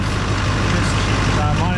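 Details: 2005 GMC Duramax LLY diesel idling after the fuel filter head was replaced to fix an air leak and a long crank; it still took about 7 seconds to start. Steady, even diesel clatter with no misses or knocks; running healthy.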